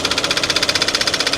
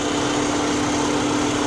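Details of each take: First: Kia at a salvage auction: sharp metallic knock about ten times a second, locked to idle over a rough-running engine; the knock is judged internal, with smoke and heavy blow-by, and the engine needs replacing. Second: Salvage car with a 2.5 L engine, possibly a turbo TDI type: steady, even idle with a smooth hum and no knocks, misses or ticks; runs like a sewing machine, a healthy engine.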